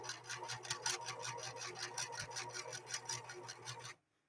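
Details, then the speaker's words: Sewing machine stitching with bobbin thread running low: even rapid stitching clatter about three per second with a light added rasp from underneath; low bobbin thread causes extra bobbin noise, which lubrication can reduce. "you'll you might hear just a little bit more bobbin sound because that thread is getting so so low on the machine you start to wind it down you'll hear a little bit more bobbin sound"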